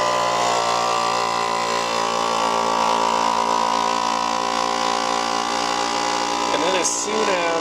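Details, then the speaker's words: FoodSaver vacuum sealer pump evacuating a Ball jar through its hose attachment: steady, even electric drone, then a short change near the end as the pump turns off; normal pump operation. "as you can hear the pump turn off, then we're going to just disconnect this."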